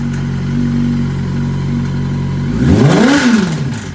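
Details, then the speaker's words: 2005 Yamaha YZF600 R6 project bike, engine hot and cranking over slowly: steady idle then a quick rev, with a faint light rattle riding under the engine as it revs; cause not found. "I especially don't like the way it's cranking over slow now that it's hot yeah that's not good I there's a little rattle in the engine there it comes"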